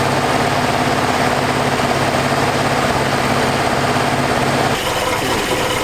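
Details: 1981 Toyota Hilux RN46 with an 18R-GU twin-cam engine, first start after at least three years sitting: steady fast idle with an even rumble and no misses or knocks. Compression sounds good.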